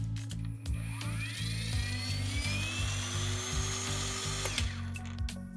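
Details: Grand DA21 Pro cordless trimmer, after cleaning grass from the motor stator and insulating the wires with Kapton tape (before repair it would not start and beeped): a clean whine climbs smoothly as the unloaded motor spins up, then cuts off; it sounds healthy.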